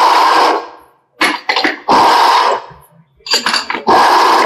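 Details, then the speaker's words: Audi A6/A4 electric power steering rack turned by hand on the bench gives harsh gritty grinding in bursts each stroke, fading between; internal rack noise. "अब इसके अंदर देखिए आपको sound की आवाज कैसे कितनी ज्यादा आएगी मैं इसको अभी घुमा रहा हूं"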